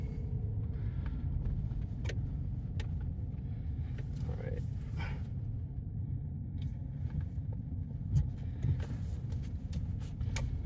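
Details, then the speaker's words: 2018 Chevrolet Silverado pickup at 100,000 miles, test drive after replacing a front sway bar link to cure a left-front clunk/rattle: low, even road rumble with no knocks or rattles; suspension sounds tight, normal. "instantly it's gone definitely not there but we're going to listen for any other abnormal noises or anything make sure that we did it right"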